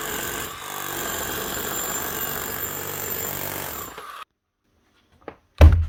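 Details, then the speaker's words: Hitachi DH40MEY rotary hammer after strip, clean and rebuild, chisel lock fixed and locking, oil leak hopefully cured; test run gives about four seconds of fast, even hammer blows then stops cleanly, hammer mechanism working normally. "Sounds good, looks good. Does she lock? That's the main thing. Yeah, she does. Give her a quick test, make sure she hammers."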